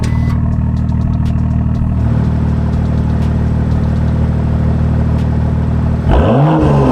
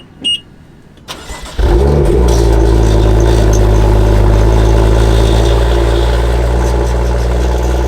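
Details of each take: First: BMW M2 with four brand-new tips on its M Performance valved exhaust, valves opened by remote in sport mode: a deep, even burble, then a clean rev up and back down with no rattles or blowing; normal exhaust sound. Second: BMW M2, cold start: the starter whirs, then the engine flares and settles into a deep high idle with a sharp rasp from the rear. The exhaust has a fracture and the muffler a hole, causing the exhaust rattle.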